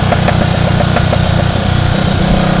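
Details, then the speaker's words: Triumph Tiger Cub single-cylinder motorcycle on the road after flooding its carburettor: steady beat then uneven, skipped firing strokes, an intermittent misfire; rider suspects dirt or water in the main jet area. "I think we might have a bit of dirt or a dollop of water or something in the main jet area."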